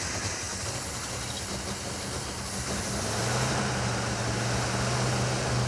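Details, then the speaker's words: 1967 Ford F250 4x4 V8 after spraying the carburetor with brake cleaner, cranking slow: uneven loping idle that never settles, pitch lifting slightly; rough running, firing order suspected. Heavy valve-cover smoke and no charging noted. "I think we should check the firing order on this thing. Could lead to it running the way it is."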